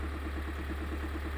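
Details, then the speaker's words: Kia Sorento 2.2 diesel (2022 per title; said to be a 2020), idling: deep regular knock, about nine beats a second. The same knock persists after a new damper flywheel was fitted. Sump removed; connecting rods and crankshaft checked fine. Cause unknown. "Как видите, мы уже поставили этот демферный маховик. Вот она стоит заведённая. И мы слышим тот же стук."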